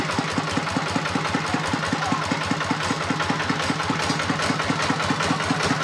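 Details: Single-cylinder RD 85 S-series tractor diesel after internal repair of lost-power fault: steady thump about 150 beats a minute, fairly even with no heavy knock, idling normally.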